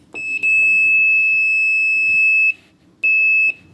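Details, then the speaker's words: Multimeter set to continuity with its leads touched together before testing a Samsung dryer's no-heat thermostat and element: steady high beep of about two seconds, a pause, then a shorter beep, meaning a closed electrical path. "If you don't hear that whenever you try to test one of these elements, then you know that there's no electrical path going through."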